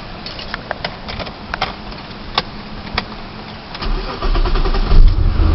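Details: Car at idle with scattered sharp ticks over a low rumble, then heavier rumble as revs rise; owner suspects an exhaust leak around the manifold to catalytic converter, unconfirmed; ticking at idle.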